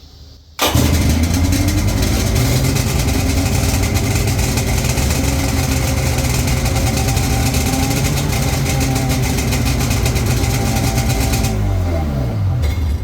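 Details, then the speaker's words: 1996 Sea-Doo Speedster twin engines after MPEM delete and diode removal: both catch quickly and run together at even, steady drone, no missing beats, then shut off cleanly; normal running. "Sounds good to me. Because when I tried that before, I had the diodes in there, you could tell it was missing really bad because each engine was trying to fire the other one off time."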